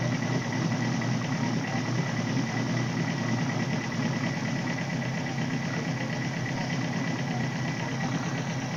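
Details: 1978 Suzuki GS1000C after carb cleaning. It runs with a slightly lumpy, uneven idle after one backfire as cylinder 2 floods. Debris stuck in the #2 float needle lets fuel dump from the overflow hose; fixed by fitting a new needle valve.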